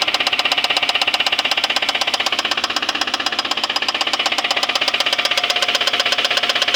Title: Suzuki grand vitara. жосткий стук мотора